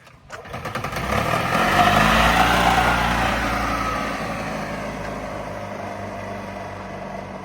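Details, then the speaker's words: EZGO TXT golf cart with a Robin 295 single after a top-end rebuild with new valves and seals, done because it smoked badly; starts and settles into an even beat with no rattle or smoke, running cleanly. "all right cool all right sounds sounds better yeah no more rattling yeah it sounds good actually"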